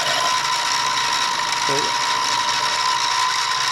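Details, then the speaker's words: Mill taking light 0.005-inch passes in steel, cutting an elongated hole: steady high-pitched even cutting chatter. Normal milling cut. "So you just drop it down to like 5 thousandths at a time, and then run this across. You hear it come up against the edge of that thing. Drop it another 5 thousandths. This is going on steel."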